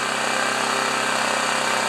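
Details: Old engine-driven machine after cleaning with Q-tip and valve grinding compound, auto low idle turned off: steady even drone at full governed speed, no knocks, misses or surging; healthy high idle, output shown as 13 amps.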